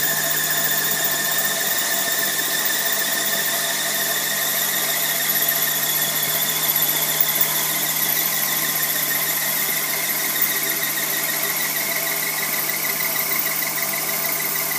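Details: Tripet MUS-100 universal grinding machine, oil mist spindle lubrication on, main overhead drive to the spindle unit running, not grinding; steady, even high-pitched whir, no wavering or knocks; grinding spindle spinning smoothly and healthily.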